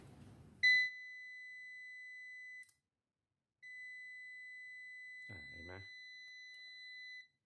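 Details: 700 W UPS with a 24 V battery system: two long, steady, high-pitched beeps of about two and four seconds, the overcurrent (OC) alarm, caused here by a broken transformer.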